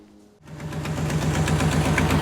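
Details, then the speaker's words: 1957 Chevy after a roughly 4,000–5,000-mile road trip, engine at idle and revving: sharp rapid ticking and clacking that speeds with revs; every bolt on both headers was loose, leaking exhaust manifold; new header gaskets planned. "well if you can hear that or not or hear me even but that's the problem every bolt on both headers were loose so yeah i'll get some new gaskets tomorrow and go from there"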